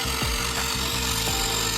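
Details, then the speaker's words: Auction-bought wrecked Traxxas Stampede RC car, right after connecting the charged battery, transmitter not yet on: harsh, raspy electrical buzz with a fast rattling edge and no motor running; steering servo suspected to be struggling, unconfirmed. "Okay, after connecting the battery, it's making a weird noise"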